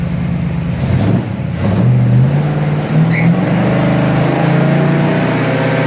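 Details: 1954 Fargo truck warming up after a new driveshaft install, engine and transmission working well: old engine fires up and revs cleanly, deep even exhaust note rising and falling with throttle, no knocks or misses.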